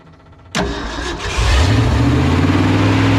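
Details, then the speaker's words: 1970 Ford F250 V8 field find at its first start: the starter whirs, it fires and revs, then settles into a lumpy, rough idle. The fuel pump may be weak and timing is unchecked; owner suspects the 2100 carburetor needs rebuilding. "boy doesn't like that does it probably need to rebuild this carb"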